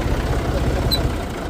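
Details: Massey Ferguson 135 diesel tractor, injection pump previously overhauled after power loss when hot: deep, steady low rumble with even diesel pulses and no knocks or misses; healthy, relaxed normal idle.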